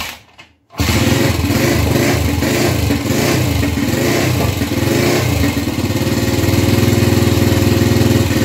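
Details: Gilera 150 Super Sport single-cylinder with adapted Honda AX 100 carburetor, first start after basic timing: fires after a pause into a lumpy dull beat about four per second; timing plate set almost fully retarded, feels retarded.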